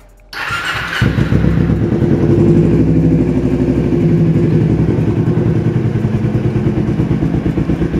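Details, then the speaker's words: Carbureted Kawasaki Ninja 250R twin being checked before purchase: starter catches after a second, then a round, even, steady exhaust beat settles at idle with no misses; normal start and healthy idle. "suaranya bulet-bulet banget enak dan suara mesin juga masih enak banget"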